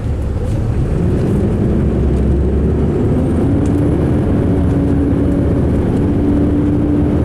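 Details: 2005 MCI D4500 9700 diesel coach heard on the road: heavy drone with an uneven, lumpy beat while running and idling; rough running, cause not evident.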